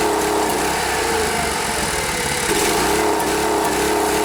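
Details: Rare Briggs and Stratton 5 hp air-cooled outboard buzzing steadily at constant speed, clean tone, no misses or knocks, after fuel pump line and bulb connections were made airtight to cure a no-start; running smoothly.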